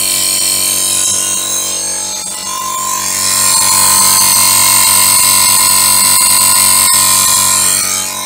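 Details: Borrowed air compressor after repair, safety outlet refitted, oil and air filter checked; steady motor drone with quick regular chug and high thin tone as pressure builds, reaches pressure and cuts off, air leaking at a union; normal running.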